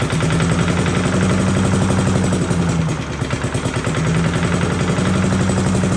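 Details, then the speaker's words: 1982 Billy Goat vacuum single-cylinder engine after an ignition swap: popping along at a steady fast beat with a brief dip, then recovering. Runs solid and even, a very solid running engine. "I personally I feel much better with my purchase now we have a very very solid running engine here"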